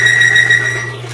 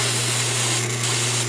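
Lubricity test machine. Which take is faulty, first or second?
first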